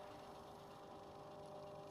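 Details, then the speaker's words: 65-year-old Essex 12-inch fan after repair, rewiring and digital speed controller upgrade: quiet, even motor hum with steady tone, no rattles or scraping, running smoothly. "it still does make a tiny bit of a hum but it's moving just a nice amount of air"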